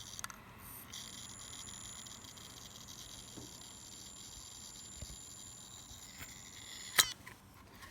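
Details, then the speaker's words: 2.5-inch laptop hard drive from a PlayStation 3 that survived repeated drops, connected via eSATA, gives a faint steady high whine with occasional sharp clicks and isn't recognised by Windows; failing drive, sounds quite bad. "Sounds quite bad. And that Windows isn't recognising it."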